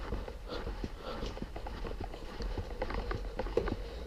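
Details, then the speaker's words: Samebike L026 electric bike, rear suspension pushed down by the seat after the squeak fix: soft irregular thuds and clicks, no squeak. "now i hear no squeak"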